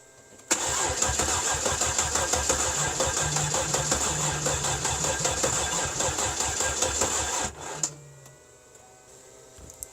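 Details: Cadillac with 300 HP Northstar V8, fresh battery just installed: starter spins the engine at an even rhythmic chug for about seven seconds with no catch or firing, then stops; cranks but won't start, roughly the fourth attempt.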